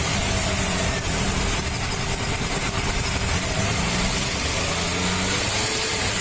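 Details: Maruti Suzuki 800, about 2010, CNG/petrol, idling rough and lumpy with an uneven exhaust beat; plug wire touching the air cleaner clamp shorts, cylinder one dead, running on two; codes P0301–P0304, poor pickup, RPM fluctuation; new plug wire planned.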